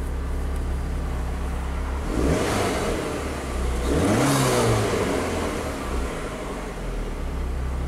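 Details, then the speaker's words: 2005 Chrysler PT Cruiser 2.4 L turbo, 5-speed manual, with a start-stall complaint after a shop replaced the crank sensor; scope shows 5 V reference and PCM online. Engine idles steadily and revs cleanly twice with no misfire, running fine before stalling later. "5-volt reference is there. PCM seems to be online. It's running fine."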